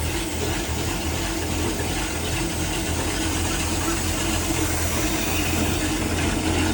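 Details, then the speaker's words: 1996 34-ft Bayliner yacht, 5.7 V8 with ignition trouble: after replacing the distributor pickup it fires right up into a steady, even low rumble with no misses or stumbles; normal idle after repair. "Well, there we go. Pickup in the distributor fixed it and it fires right up."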